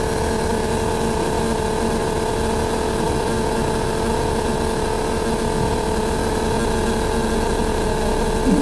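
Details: Upper deck of bus 53: a loud, unbroken drone with steady humming tones over the engine, nonstop and loud enough to cause a headache; the source is unclear.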